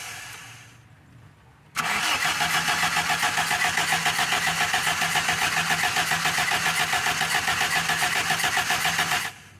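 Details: Toyota Kijang / Tamaraw FX with a dirty, frozen carburetor: steady fast cranking about three and a half turns per second for eight seconds without catching; hard start.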